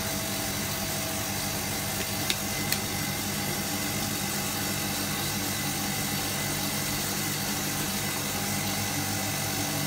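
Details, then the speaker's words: Hotpoint Supermatic De Luxe 9414 twin tub on its final spin after a warm rinse, new belts fitted: even whirring hum with steady tones, no slapping or rumble; normal spin. "I'm just holding on to it you'll hear the pitch change as it speeds up"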